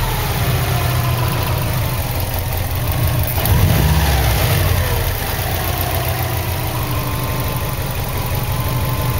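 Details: 2003 Subaru WRX at idle after throwing P0304 cylinder 4 misfire code: low rumble with irregular lope and occasional stumble; one cylinder misfiring.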